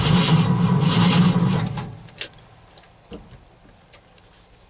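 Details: Cold start after overnight low of -11 and 0 degrees at start: steady starter cranking for about two seconds, engine never catches; owner later suspects flooding and a weak battery; cranks but won't start.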